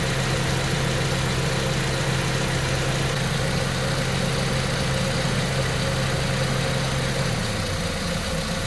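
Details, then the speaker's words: 2006 Ford KA MK1 idling after replacement of the faulty radiator fan assembly: steady airy rush over an even idle, pitch shifting as the fan cycles on within about half a minute; new fan working normally. "Now it's come on. So the fan's just coming on now."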